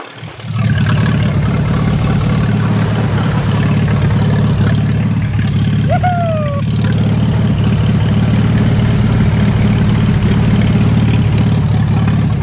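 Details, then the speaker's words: Old "Minnie" tractor engine idling without a muffler after repair, good oil pressure, not charging; loud open-exhaust idle with fast steady beat, no misses or knocks, normal idle. "it's been a long time since i've heard this baby"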